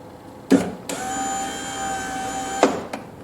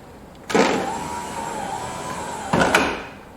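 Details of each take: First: 2000 Chevrolet Corvette C5 hardtop, driver's door, new genuine GM window regulator and motor fitted, tested before glass installed: clunk, then even steady whine about two seconds, auto-down stops cleanly without grinding; normal power window operation after repair. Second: 2000 C5 Corvette, low mileage, driver side power window with key on: the motor whirs in short, strained runs, sounding weak and slow. It is later found grinding, likely a broken gear tooth inside the motor, and the regulator/motor assembly is being replaced.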